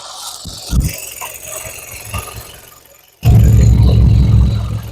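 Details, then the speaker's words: 2013 Hyundai Sonata 2.4 L, burning excessive oil, idling with the oil cap off before PCV valve and spark plug replacement: loud, deep, rough chuffing rumble and oil spraying out, heavy crankcase blowby suspected. "like you can I don't if you can hear it [Music] but uh yeah it's not good my microphone can pick it up but it's also spraying oil everywhere all over my phone now"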